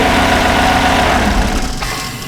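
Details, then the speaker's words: GMC 1500 5.3 V8 brought in for an engine tick, idling with the accessory belt off (alternator, water pump, tensioner; AC belt still on): smooth, even idle with no tick; the noise came from the belt drive. "Much better. That's the loudest tension I ever heard. I mean, just spinning it by hand, yeah, I mean, it's not terrible, but boy, with the belt on there, I thought this thing was coming undone."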